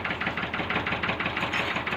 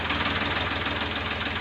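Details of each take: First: Ford tractor diesel idling after the injector nozzles were checked and refitted: an uneven, lumpy idle with irregular pulses and harsh clatter, unchanged from before; rough running traced to low injection pump delivery. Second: Ford tractor, old, after a fault was fixed (nozzles checked): steady diesel idle with a fast, even beat and no misses or knocks; the engine now sounds right and healthy.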